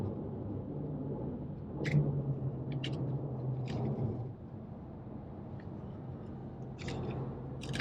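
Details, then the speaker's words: 2012 Porsche 911S (991.1) being driven, with road rumble and sparse sharp plastic ticks over bumps. The rattle is loose trim from the rear seat area. "all right so today i'm finally getting around to trying to get rid of that annoying rattle that is coming from the back seat of my 911."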